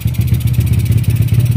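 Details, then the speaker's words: Honda Wave 100 after top overhaul with new piston and rings, knock gone: steady even single-cylinder idle, regular firing, no knock or rattle. Carburetor air jet still clogged by stale gasoline, only main jet working, timing to be set later; running okay. "Ang andar naman ng makina niya ay okay na, maganda na."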